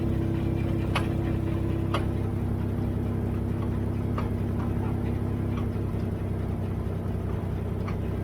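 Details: Dodge at idle: sharp clunks about once a second, unevenly spaced, over engine hum; clunking located in rear end, rear end suspected failing.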